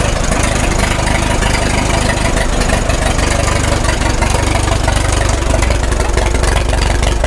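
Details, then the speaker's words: 1936 Caterpillar Twenty-Two tractor, revived after years sitting, at full operating temperature with 35 psi oil pressure: loud, deep, even exhaust beat of about four pulses a second with no misses or knocks; healthy warm idle. "Smooth. And we got a good warm too. That's full operating temp right there. And good exhaust note, nice and even."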